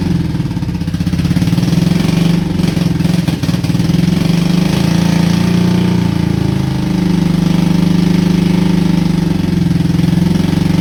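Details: Honda Shadow twin with about 20k miles on the same oil, parked four years: lumpy, uneven, slightly hunting idle as if running on one cylinder; owner suspects sticking valves from no oil changes, not confirmed.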